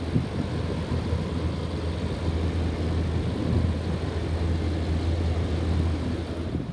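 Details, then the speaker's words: 1998 General air conditioner outdoor condenser unit: an even, low hum with a steady fan rush and no rattles or squeals. Normal running. "still disgusting looking but as you can hear it runs really well"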